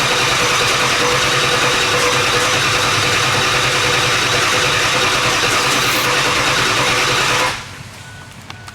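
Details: Ford F250 7.3 Powerstroke diesel, straight pipes, first test drive after high-pressure oil work and new parts: loud uneven clatter, lumpy stumbling beat, one cylinder sounds like it's missing; air bleeding didn't help; misfire from injector harness plugged in wrong.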